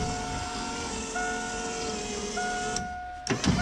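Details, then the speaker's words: 1988 Fox body Mustang power window after plugging in door harness cut by previous owner; steady clean motor hum about a second per run, repeated three times, window motor working normally. "that is very cool with parts on the way and the window now working things were looking up"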